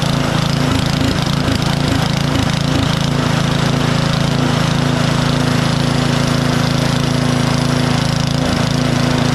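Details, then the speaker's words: Powersmart 24-inch DB7651 snow blower with an LCT engine, after carburetor replacement fixed the no-start/won't-stay-running problem. Strong, steady, even beat with no misses, surging or knocking; still smoking off excess fuel. "let it run here for just a I don't know a minute and a half or two minutes it still hasn't burned everything off"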